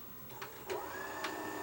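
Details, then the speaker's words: AWA Super Multi-Digital multi-system VCR, unused since its last demo: clicks, then a short motor whir rising in pitch that cuts out as the machine shuts down on start; a sticky take-up spool is suspected but not confirmed. "Well, I went to fire up the good old AWA Super Multi-Digital multi-system machine. It hasn't been run for, well, since the last time I demoed it for you guys. And it appears that it's shutting down."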